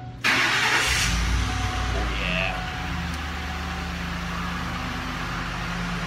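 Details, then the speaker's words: Ford 5.4L Triton 4-valve DOHC V8 after repair: starter catches quickly and settles into a quiet, steady idle with no ticking or rattling; engine fixed. "listen to that perr okay there you have it the engine is fixed nice and quiet startup running it's like a brand new engine"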